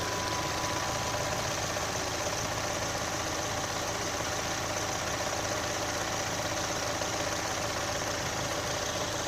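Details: Chevrolet Onix LT 1.0 2018, under three months owned, at idle: steady idle with loose, uneven tapping on top; owner links it to GM quietly replacing faulty intake valves and locks on 1.0/1.4 engines, unconfirmed.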